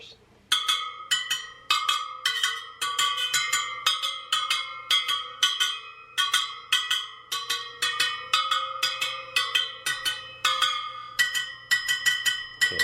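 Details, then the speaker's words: Sur Ron Light Bee supermoto front wheel build, wheel on a stand: bright pings as each spoke is plucked, with one dull, short note marking a loose spoke to tighten. "sounds a little dead right there so i want to tighten that one"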